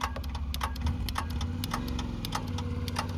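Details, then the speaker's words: 67-plate Ford Fiesta, no crank, battery and earths good; power fed to the starter feed at the fuse box plug, pin 21 thick brown wire: starter spins with steady low whirr and fast even clicking, so the solenoid is sticking. "Hear that starter motor? Okay. So, we have a sticking starter solenoid."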